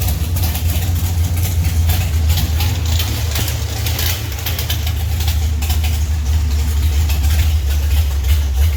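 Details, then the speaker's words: Alcohol-fuelled 528 big-block Mopar in a 1971 Duster race car with a Powerglide, first start after sitting three years. It gives a deep, lumpy, loud, steady idle with a choppy cam rhythm and no knocks or ticks, and sounds healthy. "yeah if you've never sat in a car it runs on alcohol with the doors off in a garage Jesus yeah he just ran outside no no if you see if you want sticking around for that sounds good runs good"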